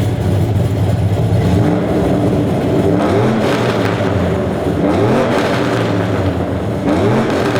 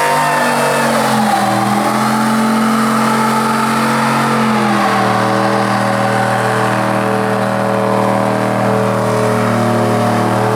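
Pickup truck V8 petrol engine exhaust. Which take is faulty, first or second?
first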